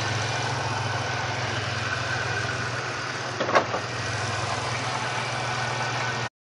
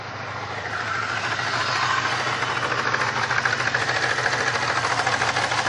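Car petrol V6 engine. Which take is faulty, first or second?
second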